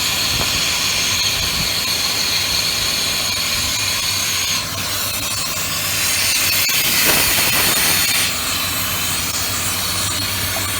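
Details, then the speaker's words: 1995 Ford F150 V8 at idle before a Seafoam and throttle body cleaning, running poorly: loud steady hiss from a big vacuum leak over the low idle. "So this is going to run piss poor. Hear that big vacuum leak."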